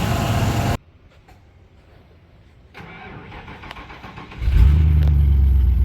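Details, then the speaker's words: 1995 Ford F-150 4x4 after coolant top-up and air hoses refitted: cranks, catches, settles into steady low idle with no knocks, hammering or misses; runs fine. "Wow. No hammering action, no nothing."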